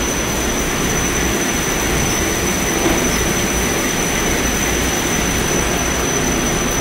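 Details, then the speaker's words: Haughton Type 601 DC gearless traction elevator machine, installed 1980s, 104 hp, 1200 FPM, very low RPM, recorded in machine room during a trip: steady even whir with thin high whine, no knocks or grinding; normal running. "machines are very low RPM for how fast they travel down there into the shaft"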